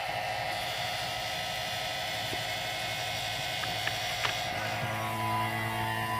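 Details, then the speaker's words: 2014 Chevrolet Silverado A/C after discharge hose replacement, vacuum pump evacuating the system via manifold toward 30 inHg: even, steady motor drone with constant low hum, no knocking or surging; pump pulling down normally. "open up this ones and we're going to hear the vacuum suck out the air from the system and then we're going to let it run for a couple minutes"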